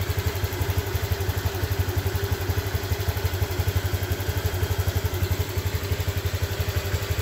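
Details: Honda Click scooter starts but stalls after minutes, especially when revved; low lumpy putter about three beats a second with uneven firing, misfire traced to an internally broken spark plug.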